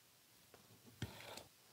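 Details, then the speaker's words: Mercedes 722.6 (Chrysler NAG1) transmission overhaul, clutch assembly: L-shaped snap ring pushed down with a spigot tool/PVC pipe gives a single sharp metallic click, then quiet; snap ring correctly seated. "i'm going to take my spigot tool or pvc pipe and push down it listen for it to click"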